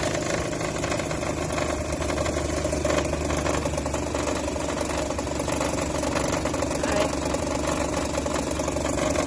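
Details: 2008 Nissan Versa SL idling with a loud, constant whirring drone; owner suspected timing chain guides, but it was the serpentine belt tensioner pulley, fixed by replacing belt and tensioner.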